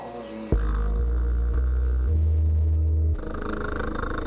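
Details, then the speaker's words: Sundown Audio E-series 12" 500 W RMS dual 4-ohm sub on SoundStream TXP1.3500D, low-power test at 3 ohms 30 W: stepped deep bass tones with buzzy raspy distortion; owner suspects a blown or loose voice coil. "something sounds funny i'm gonna check if one of these coils is blown sounds like one of the coils might be blown"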